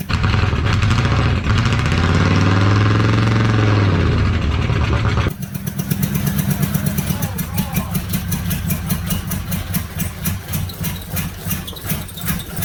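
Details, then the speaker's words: Fire-damaged diesel Oldsmobile 98 revived after many cranking attempts: long crank catches into a loping, uneven pulse about three beats a second, running rough; owner suspects exhaust is being pushed up through the intake. "When I do get it running, I'm pretty sure it is sending exhaust up through the intake."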